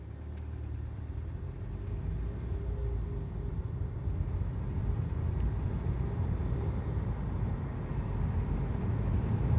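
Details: 2009 VW Golf MK6 1.4TSI CAVD, 176,000 km, rebuilt at 125,000 km: dull knock about four a second at low rpm under light driving load when cold, gone once oil reaches 70C; owner suspects piston slap or valve lifter.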